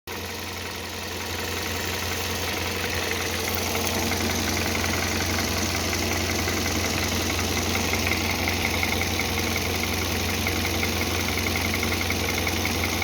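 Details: Hyundai Solaris 1.6, fully warmed up: a faint, fairly regular tapping about three times a second over a steady hum at warm idle; abnormal engine noise when warm, source unclear.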